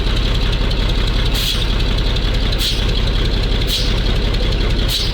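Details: MAZ truck diesel after long storage, just cold-started in frost with starting fluid in intake, air compressor pumping; steady even idle with periodic faint hiss in background, no oil leaks seen; runs fine.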